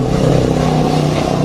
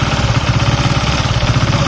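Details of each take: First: Honda Sonic 150 motorcycle, hot engine idling: rough puffing exhaust note from gas escaping through several corroded holes in the exhaust pipe. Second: Honda Sonic 150 (K56) single-cylinder engine with oil seeping from a gasket when hot: steady, even idle with a low regular beat and no knocks or rattles; engine running fine, though idle speed changes once hot.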